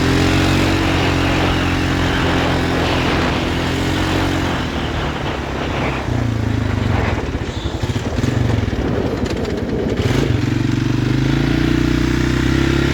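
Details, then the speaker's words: 2016 Polaris Sportsman 570 after a rebuilt crankshaft, reusing the old piston and cylinder, one part not bolted on: single-cylinder engine runs unevenly with an irregular knock that varies with load, and the clutch noise slows it down. Suspected piston knock. "I don't know why the clutch is making that noise and slows down. It's got a, I think that's a piston knock."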